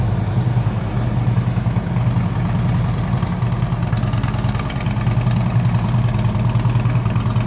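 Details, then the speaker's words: 2010 Harley-Davidson Ultra Classic, twin cam 96 cubic inch V-twin, 6-speed, 13,655 miles, in neutral: deep, loping low rumble holding steady with even pulses, no knocks or ticks; normal idle. "This would have that twin cam, 96 cubic inch engine. 6-speed transmission. We will start it up, let you hear it run."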